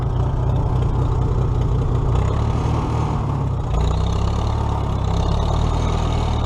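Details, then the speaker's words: Old four-cylinder tractor (the H) after alternator repair (loosened nut fixed), running for a ride before the 2017 Nowthen Threshing Show; steady even low rumble, no knocks, misses or squeals – normal running. "right now everything's running everything's together we fix that alternator"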